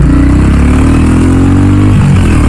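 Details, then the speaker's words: Royal Enfield Classic 350 single-cylinder being ridden at 20,000 km after its fifth service: deep, steady thump with an even beat, no knocks or rattles; the rider notes smooth pull and no vibration. Healthy running. "அப்பா நல்லாவே அந்த ஒரு full இருக்கு so after 20000 ஓட்டுனாலுமே வந்து பாத்தீங்கன்னா அந்த smooth drive இருக்குல்ல வைப்ரேஷனே இல்ல காய்ஸ்"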